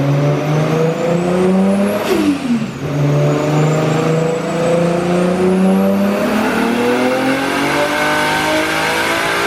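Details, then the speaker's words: Built RB25 Skyline on the dyno, Garrett 3071 turbo, 9:1 CP pistons, 900cc injectors, EMU Black ECU now fixed so it revs out, on pump gas: clean smooth pull to the top with no stutter or cut; healthy full-rev pull. "That sounds good. Not a terrible start for pump gas."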